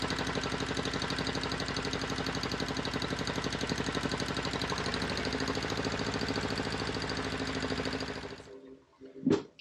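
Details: Volvo Penta 2002 diesel from a 1987 Liberty Yachts Pied Piper 28 sailboat, cold, after repair (shims corrected, fuel bled): even steady pulsing at fixed idle with no misses or knocks until shutdown; normal running.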